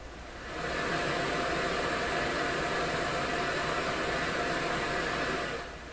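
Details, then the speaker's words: McIntosh MR71 tube FM receiver, just out of storage and powered up cautiously on restricted power, no antenna connected: even, steady inter-station hiss with no crackle or hum; receiver sounds normal, though muting doesn't remove the hiss. "I'm listening to the hiss, what I'm sure is the hiss between stations right now. No antenna, what else you going to get?"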